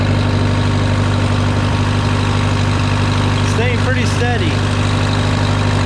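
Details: Case VAC tractor idling after a new aftermarket water pump was installed for overheating after a coolant change; coolant flowing. Steady, even idle with a smooth low rumble, no knocks, misses or rising note; running normally.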